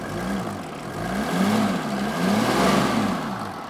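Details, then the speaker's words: Old non-turbo Mercedes G Wagon, just started on the second attempt, picks up cleanly and drops back in smooth, even swells with no knocks or misses; normal, healthy revving. "I tell you what it is for an old tank. That sounds pretty good."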